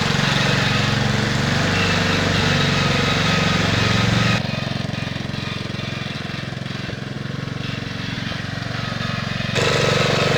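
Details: 1969 Bolens 850 tractor, Wisconsin S8D 8.25HP single-cylinder, run after carburetor initial adjustment while tuning points: harsh fast regular rapping at high revs, easing as revs drop; knocks badly at high RPM, idles poorly, smokes; cause unresolved.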